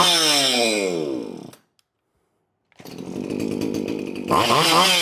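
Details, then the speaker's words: Poulan 2500 Farmhand chainsaw (same as 2900) after restoration, fuel and bar oil added, oil flowing; on-off switch was wired backwards (normally closed). Saw revs up cleanly, winds down, restarts and climbs smoothly to high revs with crisp response; running healthy. "But now it's running, so now let's go and put it all together and put it in the wood and see how she cuts."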